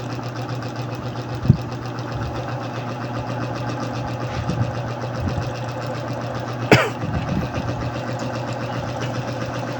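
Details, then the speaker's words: Yamaha Mio Soul i 125 scooter, leaking shock, started on one click: even steady idle, faint light ticking over a low hum, no knock; a small noise heard but engine judged healthy with no problem. "May narinig lang ako dito na unting ingay, pero sa makina niya walang problema makina to guys. Hinog ko makina nito."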